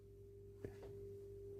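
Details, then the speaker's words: Fender Pro Junior IV tube amp with high bias current (tubes running hot), powered during heater voltage checks (about 3.1 V each side of center tap): thin steady whine over low hum with a small click; owner suspects the multimeter is causing the noise. "we need to switch off. I think that noise is the meter affecting it. We need to switch off."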